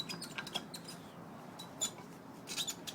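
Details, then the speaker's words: VAZ 2107 driveshaft universal joint, old cross with rusted needle rollers inside: sharp irregular high-pitched squeaks as it is flexed by hand; it squeaked and hummed while driving, replaced with a new greasable cross. "Вот она старая крестовина которая скрипела гудела заржавели внутри ролики"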